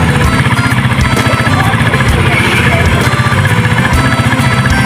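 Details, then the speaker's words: Engine still cold after a diesel flush: steady even putt at about four beats a second under background music, no knocking or rattle; owner says it sounds good. "Ayan na tunog eh. Maganda na tunog no? Bro. Maganda na tunog."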